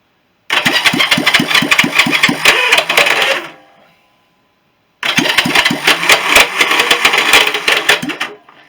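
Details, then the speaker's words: Honda CB350 after engine rebuild, cranking on the electric starter during a compression test (140 on each cylinder). A horrible screech and rapid uneven chatter that never catches; the starter clutch may be slipping, and the owner suspects its springs. "You can hear it, that horrible screech noise. That is the starter."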